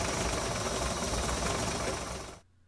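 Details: 1958 Ford panel truck engine idling after running a while: a fast, busy clacking over the idle before shutoff, from one valve with lash way off; valve lash clatter.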